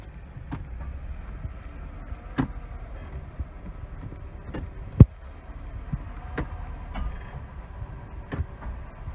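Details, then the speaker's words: 1999 Mercedes S320 (W140): clicking as gears are shifted, including from reverse to drive, with sharp metallic clicks every second or two over a low idle rumble from the middle of the car; owner suspects the front driveshaft flex disc. "basically to sound like metal touching material like a flake that I hear from the it's coming from the middle and I'm suspecting is the Flex disc which connects the transformation so the drive shaft and the - as you know goes to the differential get to move the wheel the back wheel"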